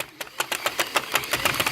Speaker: yeah you hear that grinding noise it's too much tension and these things have a hard time coming back up and then it makes that god-awful sound